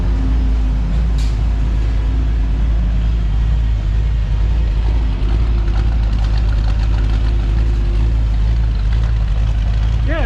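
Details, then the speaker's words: 1959 Chevrolet El Camino with 348 tri-power V8 and Powerglide: deep uneven lumpy idle with a rhythmic lope about two beats a second through loud pipes; sounds cammed. "sounds cammed up to me"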